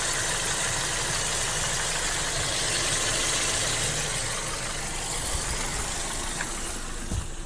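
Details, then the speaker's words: 2008 VW Golf 5 1.6 petrol at idle after replacing spark plugs (and cover gaskets) for a cylinder 3 misfire: even, quiet, steady idle with no stumbles; previously idle hunted up to nearly 1000 rpm and down, now stable and normal. "обороти стабільні тому що раніше отак навіть на холостому працювала і обороти все скакали скакали майже до 1сяч і вниз"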